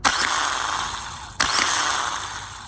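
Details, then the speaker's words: Old remanufactured starter from a 2000-2004 Nissan Maxima bench-tested on 13 V. Each snap of the gear engaging is followed by a harsh, gritty grinding whir from inside the starter; the new replacement spins smoothly. "Now when I touch it, you're gonna hear a little bit of grinding noise."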